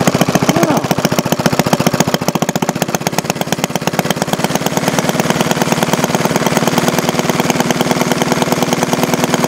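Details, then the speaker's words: 1951 Briggs & Stratton 6S single-cylinder engine (hit-and-miss conversion project), with muffler refitted and oil added: it starts right up with crisp, evenly spaced pops and no stumbles, running healthy. Light smoke is attributed to fresh oil. "start right up with the car that smoke don't look too bad either going to go away hey that's just start of oil in there"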